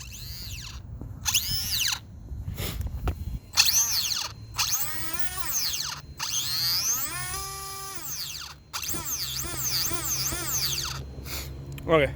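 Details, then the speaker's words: WLToys 144001 RC car with 3300kv brushless motor, first run: high electric whine sweeps up and down with throttle but with no load, nylon spur gear teeth stripped in one spot so the motor spins without drive. "did it still works for the most part but there's definitely there's a little spot where the teeth got ripped off"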